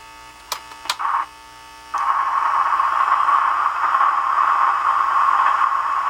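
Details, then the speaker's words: Emerson mini AM/FM cassette boombox in tape mode: pressing play gives only a steady hum and hiss, no music. The tape earlier played slow and draggy; the owner suspects cleaning or a belt. "now it was playing a while ago i don't know why i quit make sure i'm on tape"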